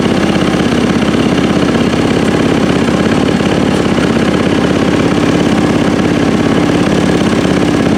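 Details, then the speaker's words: Yamaha YZ450F (2010/2012 stated) first start after top-end rebuild and cam timing setup, kickstarted: single thumps at steady even idle with crisp mechanical chatter, no knocks or misses; runs healthy. "three oh that sounded really nice yeah let's try this again very nice oh yeah oh that sounds nice"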